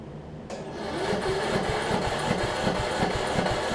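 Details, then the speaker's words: Troy-Bilt Bronco rider after a Kohler-to-Briggs engine swap and muffler retrofit: starter grinds, then engine catches roughly at about three beats per second; hard start, owner suspects water got into the crappy air filter. "I probably get it flooded it with some water let me let it sit for a little bit let's see if I can crank it up here in just a second"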